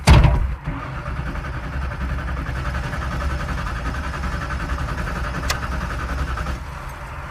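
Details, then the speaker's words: Car won't start: steady churning starter crank for several seconds with no catch or firing; not a carburetor issue, no ignition power, ignition LED doesn't come on. "doesn't sound like it's got any ignition well the axle won't break this way that is like no ignition yeah it's not even trying to fire that's not a carburetor thing that's something else"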